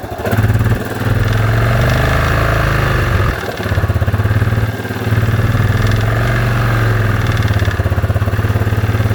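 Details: Yamaha Grizzly 660 after rebuild with new Hot Rods crank and Wiseco piston: single-cylinder thumping idle with a blip near three seconds and uneven mechanical clatter over the beat; cause unclear.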